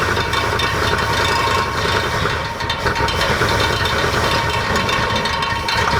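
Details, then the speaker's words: Abandoned Dodge Aspen with 90,000 miles, first driven after 17 years: the engine idles with a fast, light metallic rattle, caused by the fan rubbing against a fuel line. Clearance was then corrected. "just in case you were wondering what that rattling sound was that was actually the fan rubbing against some fuel line right there so that's very very safe"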